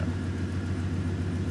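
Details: Old truck started after sitting, fuel pump barely audible: a low, even rumble with a steady beat and no misses or knocks; the engine idles smoothly.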